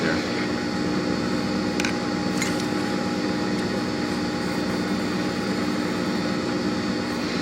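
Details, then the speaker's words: FAV AV2 leather skiving machine after blade sharpening and setup, pedal feathered: steady even motor hum with constant whine, no catches or chatter as leather grabs and feeds through; sharp blade cutting smoothly. "see how that grabbed and just kind of fed through real nice and school no problem"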